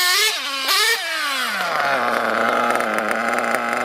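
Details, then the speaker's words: RC nitro engine in an RW monster truck after lowering the idle and leaning both needles: rev blip falls away fast to a steady, even buzzing idle with no run-on hang; normal idle. "much better than it was it's not running on like it was"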